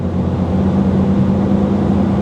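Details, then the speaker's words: 1987 carbureted car with its original, worn Rochester Quadrajet and a computer with check engine light: fast, even idle drone, too high at about 1750 rpm. "It runs. You know, honestly, the idle's a little too high. We're sitting about 1750 RPMs right now."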